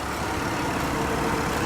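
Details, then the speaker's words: Cadillac CTS from auction that started without a jump: a soft, even hum with a quiet smooth idle and no ticks, knocks or misses; the engine idles healthy. "Runs like a top, purrs like a kitten. Didn't even need a jump start."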